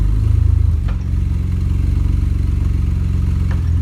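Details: BMW E46 330xi with a steady low engine note and a dull, uneven knock tapping about four times per second from inside the engine. Cause not yet pinned down.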